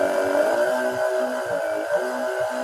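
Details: Battery-powered modified sprayer pump with two connectors: with the external cable in the lower plug it runs directly, bypassing the on/off switch and potentiometer regulator, so it stays on whatever the switch does. Steady, even mid-pitched electric whir at constant speed, no rattling or grinding; normal running.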